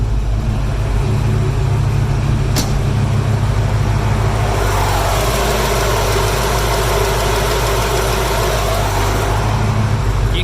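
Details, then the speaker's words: Classic car after electric cooling fan conversion, engine running: steady whoosh of the fans over a smooth, even idle with no rattle or scraping; fans run as temperature drops from about 200, expected to stop near 178–180 and restart near 198; normal operation. "can hear the fans are running. And it's gonna go down to I think 178 or 180 is when the fans stop."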